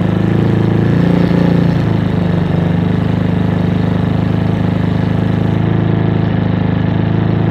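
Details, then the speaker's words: Avenger Cruiser 220 motorcycle, 2400 km, stood 2 months without fuel, after carburetor cleaning for clogged main jet and atomizer: low, even thrum held at raised revs without stumbling; running smoothly. "ah bueno yo aparentemente ya lo hace más parejo quedaría salir a dar una vuelta"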